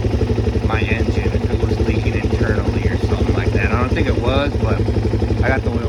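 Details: Suzuki DRZ400SM just started after PAIR valve and petcock replacement, fuel leak fixed: steady, even single-cylinder thump at idle with a regular beat and no misses or rattles, running clean and healthy.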